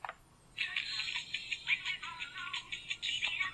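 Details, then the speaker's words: GE cassette recorder playing Hooked on a Feeling far too fast: thin, shrill chipmunk-pitched music because the variable speed playback (VSP) knob, mistaken for volume, was turned all the way up. "in the meantime you can listen to a chipmunk version of hooked on a feeling"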